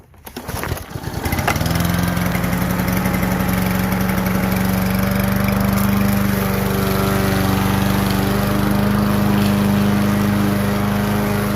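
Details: Kohler Courage XT-7 engine on a three-in-one big-wheel push mower, model 11A-54K1090, before the swap to a good deck: the pull start catches right away and settles into a steady, even hum with no stumbles or knocks; healthy.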